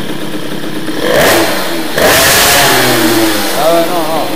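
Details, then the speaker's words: Teknix T6 two-stroke moped with BOOST cylinder head, blipped throttle sounds fat and burbly, slow to clear as revs rise and fall; carburetion very rich, main jet will be lowered by 5 to 7 points. "Donc pour le moment, la carburation est très riche. Donc ce qu'on va faire, on va descendre en gicleur."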